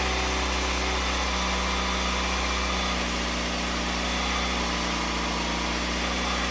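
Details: 2008 Jeep Compass after belt reinstall, checking under-hood noise (A/C compressor or seized alternator suspected): steady, even idle with low drone, no squeal, chirp or grinding.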